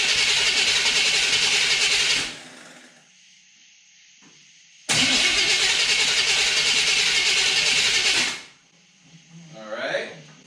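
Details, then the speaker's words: Small-block Chevy in a Jeep YJ with newly installed starter: two even, fast two-second cranks that never catch; fuel filter found completely dry, no fuel delivery. "well i guess we'll have to i didn't get no fuel nothing start let's see uh car cleaner might start it up see what happens"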